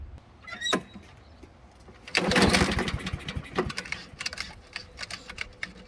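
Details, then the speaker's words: Old Honda self-propelled mower just after carburettor cleaning and refit, fuel turned back on: a few pull-cord bursts with brief coughs that die away, no start yet because fuel has not yet refilled the empty carburettor. "Now, when you first go to start this, you got to understand that there's no fuel in that carburetor now. So fuel has to flow into that carburetor and get into the engine to start letting it run. So it's going to take you a few pulls to get this thing started."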